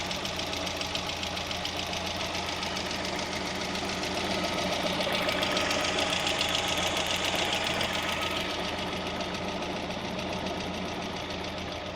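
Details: Hydraulic lifter tick on a VAZ (Lada) 16-valve engine at idle: fast, even light ticking about three or four ticks a second over a steady idle, worn hydraulic lifters clattering at the top end.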